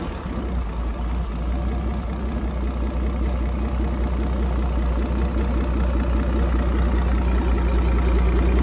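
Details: 1959 Graymarine 109 marine engine from a 1959 19' Lyman, after a complete overhaul, oil-pressure priming, timing set and carburetor adjusted: low, smooth, even idle with a steady rhythm, no misses or clatter; normal, well-tuned idle.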